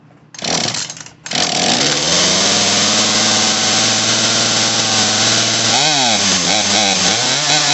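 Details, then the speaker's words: Poulan Pro PP4018 chainsaw on first startup after fuel line and primer bulb repair with a brand-new, unadjusted carburetor: it catches and screams at high revs, then the pitch sags and wavers as it bogs. Running lean and needs carb adjustment. "Need to be adjusted. It's a little bit lean. Hear it bogging out."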